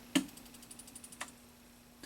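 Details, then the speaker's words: 1983 Bally Midway Discs of Tron arcade PCB powered up on the bench: the power supply ticks fast and evenly, about ten clicks a second, then stops, hiccuping on a shorted load; the short was traced to a capacitor. "Something's wrong because I heard the power supply clicking. The power supply was clicking, which means there's a short."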